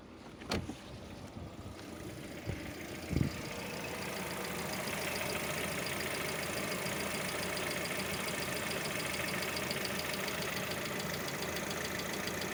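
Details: Hydraulic lifter tick on a Lada Vesta: after start the engine settles into idle with a light, quick ticking over the top, about three per second; knocks during warm-up in warm and cold weather, sometimes disappears when fully warm.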